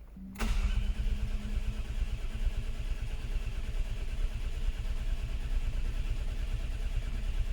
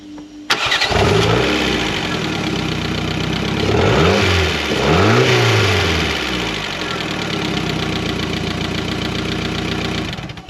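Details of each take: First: Mk4 Ford Fiesta not started in over 4 years, 12 V at coil but no spark: starter turns over at a steady, slightly uneven rate with no firing; crank sensor shows max 334 rpm with sparse signal, failed sensor. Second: Mk4 Ford Fiesta, unstarted for over 4 years, after replacing the crankshaft sensor and plugs with original leads and coil refitted: cranks briefly, catches cleanly, blips up twice and settles into an even idle; healthy start.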